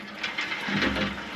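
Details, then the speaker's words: Dempster well pump with trouble holding its prime: hissing, sputtering rush as it sucks air again after a couple of cycles, air displacing the water in the pump and losing prime. "Now we're sucking air again right there. Yep. That's what it's doing after a couple cycles of this."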